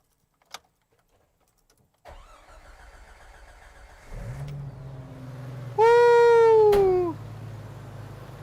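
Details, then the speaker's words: Engine after head gasket job, thermostat fitted, coolant filled and burped; cranks about two seconds, catches with short squeal, settles to steady even idle; previously ran rough, now runs great. "so i did the final bit of putting the thermostat on filling it up with coolant burping it and all that runs great now no issues drives perfect"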